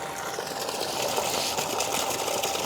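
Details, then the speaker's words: Shimizu PL-122 BIT non-automatic shallow-well pump, first test start after installation with 1-inch suction and output pipes: smooth even hiss of rushing water over a quiet motor, no knocking or surging; normal running, strong flow once primed. "Kita coba. Suaranya halus sekali ya."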